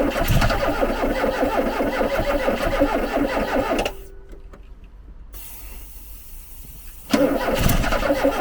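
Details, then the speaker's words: Garden-find Ford Capri with Pinto engine: catches and runs rough and uneven a few seconds, dies, coughs again; stalls from not enough fuel reaching engine. "and I'll turn it off for a minute there's no fuel yeah I'm gonna have to stick something down oh there's just not enough fuel"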